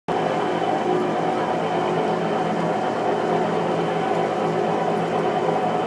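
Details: New Whirlpool Cabrio washer makes a loud, constant train-like roar and heavy rumble on the spin cycle; cause not pinned down; it was later fixed under warranty.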